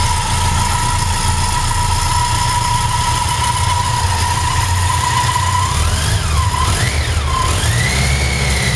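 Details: BMW K100 motorcycle, clip 1 of 2: a busy metallic clatter over the idle that briefly climbs with a throttle blip; engine rattle, source unclear.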